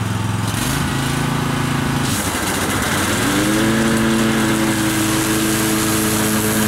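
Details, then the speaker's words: Kawasaki-powered mower after replacing the intake manifold gaskets on both sides, which fixed a misfire and bogging; low chugging idle picks up smoothly to a steady higher speed, now mowing grass without bogging. "seems to fix the problem mold the grass just like it should um before it would have it would have bogged down"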